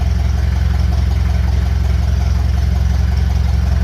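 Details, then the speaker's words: Engine fitted with a 1956 Lucas D3A4 distributor, run briefly with no radiator or coolant; steady, even low-pitched putter at fast idle, firing regularly with no misses or knocks, running smoothly. "That's what I like. Stick a bit of metal onto an engine, make a few tweaks,"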